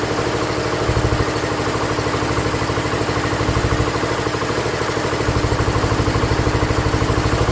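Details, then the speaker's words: Ford LGT145 garden tractor single-cylinder engine, after carburettor set to factory specs and with head gasket: steady, even idle thump with no misses or knocks; running clean and healthy. "runs amazing with the head gasket."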